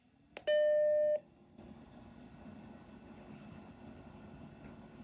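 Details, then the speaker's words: Macintosh SE at power-on: switch click and startup tone, then a steady, fairly loud fan whir from the original 1988 cooling fan, before replacing it with a new silent Noctua fan. "it's a little loud it's not overly loud but it's not really quiet either so my plan for this video is to replace the fan inside of here the old like 1988 fan with a brand new silent fan"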